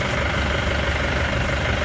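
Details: Mahindra Bolero diesel at idle after a power steering pump repair: it settles into a steady, even idle with no pump whine or groan and no leaks; power steering sounds healthy.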